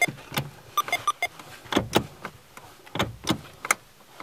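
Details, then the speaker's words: Manual car clutch pedal pressed fully: sharp clicks and clunks bunched at the bottom of travel; car won't start via clutch, needs bypass switch; owner suspects clutch out of adjustment, cause unknown. "see you hear that clicking sound at the end it's not supposed to sound like that"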